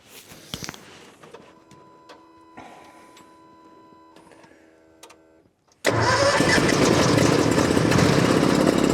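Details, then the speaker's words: Gas-engined skid steer on a cold winter morning: several seconds of weak, uneven cranking and sputters, then catches and runs loud and steady; hard cold start, cause unknown. "it doesn't like the cold the same as which I don't know why it's gas normally they start with no problem but sometimes stranger things happen"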